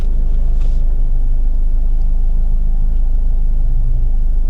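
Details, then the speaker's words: Steady, even, deep engine idle heard from inside the car with the air conditioning off, after a rear motor mount replacement. It is noticeably quieter, with fewer vibrations and rattles than with the AC on. "you can tell it's immediately quieter. Instantly, there's a difference. It's less vibrations, less things rattling."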